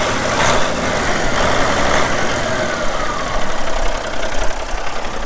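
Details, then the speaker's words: Caterpillar B-model diesel in a Peterbilt 378, about 433,000–435,000 total miles, sits most of the time, oil-pressure override button, minor front structure leak: low, steady idle with even clatter and no knocks or misfires. Normal idle. "And if anybody be interested in a good running B model cat, I'll go ahead and fire it up well you can listen to it. It's got an override button for oil pressure. Nothing wrong with this engine, nothing."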